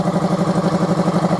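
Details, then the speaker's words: Air compressor running after its motor capacitor leads were rewired correctly (they had been jumbled): steady, even pulsing hum with a smooth mid-pitched drone, no knocks or rattles; runs quietly and normally. "And it's not really that loud. Actually, that's one thing I really liked about this compressor is that it's actually pretty quiet."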